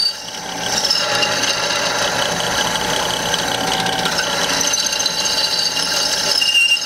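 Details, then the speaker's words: Drilling through steel: high scratchy squeal and chatter over the cutting noise as the bit finishes the hole without enough oil; drill bit squeal from lack of lubrication, stop and add cutting oil. "and it didn't get a little oil at the end and it started to you know squeak make some noise and if you hear that you just want to UM you want to be able to take it off"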